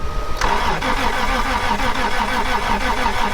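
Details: 1996 Toyota Tacoma 3.4L after lying on its side: even, rhythmic cranking at a brisk steady beat that never fires; spark present, fuel pump issue checked; turns over but won't start, timing belt has jumped.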